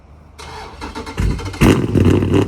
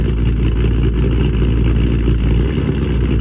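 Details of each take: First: Dodge Charger Scat Pack 392 V8 with cam, new 1050X injectors and Boost-a-Pump, previously running lean: cold start, starter whirr, then a loud, lumpy surging burble that settles and self-regulates at idle; normal. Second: Dodge Charger Scat Pack widebody 392 V8 on E85 tune, after boost-a-pump and 1050X injectors installed (previously running lean), cold start: deep, lumpy idle rises and dips unevenly with brief stumbles, hunting for idle speed; cold-start surge, settled after about 1.5 minutes.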